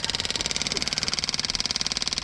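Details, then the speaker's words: Budget motorcycle fuel pump, removed and bench-run off a jump battery feeding back into the tank: rapid, even buzzing pulse, no stumbles; the pressure switch stops it when the outlet is blocked, running healthy for 10 minutes. "the pressure switch works fine as you can hear as soon as I put my thumb over the end the pump stops release it starts pointing again now I left this setup running for a good 10 minutes and the pump didn't falter keeps the filter full at all times"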